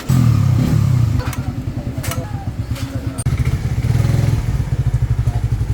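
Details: Raider 150 Fi that ticked when hot after long rides, from a loose intake valve clearance; after reshimming it runs with a steady single-cylinder thump and no obvious ticking.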